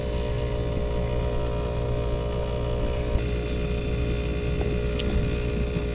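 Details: Climate Master geothermal heat pump after low-pressure lockout, Y1 and Y2 jumpered, flow center about 1.9 amps, temperatures being checked: smooth, even low drone, no knocks, rattles or surging; running normally, no problems found.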